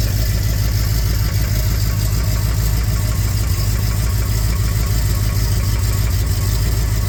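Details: 400 Z28 V8 at idle with a low, uneven knock, about two a second, under the exhaust beat; rod knock, consistent with a worn rod bearing.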